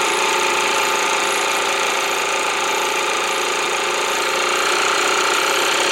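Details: Air compressor with brushed motor held at lowered speed on BN-LINK plug-in variable fan speed controller; loud even buzzing drone of motor and pump, runs smoothly without stalling or knocking.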